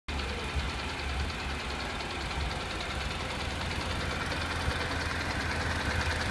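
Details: Honda NC700X twin at hot idle, fully warmed up: light, fast metallic rattle over the low thump, about two to three taps a second, from the right side of the engine only when hot; source undetermined.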